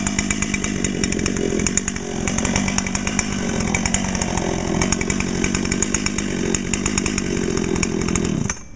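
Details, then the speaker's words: Dolmar PS-7910 chainsaw with 28-inch Sugihara bar and LGX full chain, new and breaking in; holds a high steady scream with a slightly burbly, uneven edge; owner suspects a little rich or hitting the limiter, wants to check with a tach. "okay sounds like it might be a little bit Rich we're going to need to get a tack on it"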